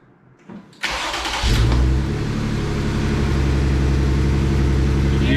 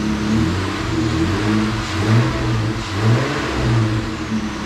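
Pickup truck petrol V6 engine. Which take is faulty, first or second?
first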